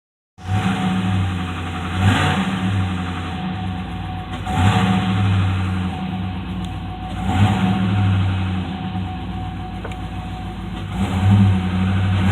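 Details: 2006 Chevrolet TrailBlazer SS V8 idling: low hollow rattling knock swelling with each throttle blip; owner suspects piston slap.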